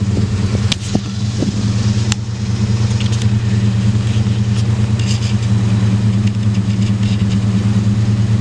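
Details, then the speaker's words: 1999 Ford Ranger after fixing rough idle by replacing a 3/8-inch fuel hose connector under the throttle body, driver side: even, steady idle hum with no dips or misses, now about 1000 rpm instead of 800 or below. "yeah it has never ran at a thousand rpms it's always been like 800 to below that"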